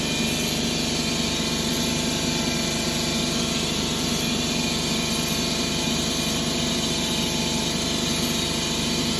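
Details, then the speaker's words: 2011 Ford Escape 2.5L with P0300 codes, misfiring on cylinders 1 and 2: uneven idle with a stumbling beat two to three times a second under busy top-end clatter; broken valve found in cylinder 2. "So I've been having a misfire cylinder number 2 and 1."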